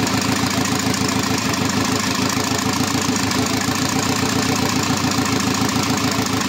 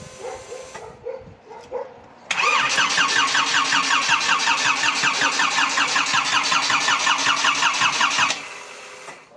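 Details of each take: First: Škoda 1.4 MPI turbo after readjusting the position sensor, engine refitted with gearbox: steady even idle pulsing about three beats a second, no skips or hunting; runs properly. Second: Škoda 1.4 MPI turbo, first start after engine install and a starter fix, with swapped hoses corrected: even starter cranking about six seconds, never firing on petrol; it runs only on sprayed cleaner. No start.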